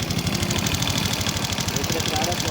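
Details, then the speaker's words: Honda Supra X 125, single-cylinder, after repair of a rough, noisy engine; quick even idle beat with a little light mechanical chatter on top. The remaining noises are tolerable and the engine runs steady and acceptably, somewhat smoother. "seperti fakta-rata seperti itu ya jadi Sudah suara mesin yang sedikit mulus namun tidak terlalu mulus ya"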